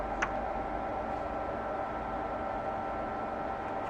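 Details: 1948 Radio Rentals model 60 valve radio, first power-up with minimal work, connected into output valve grid: steady even hiss with faint fixed tone and no program audio; faint audio hiss.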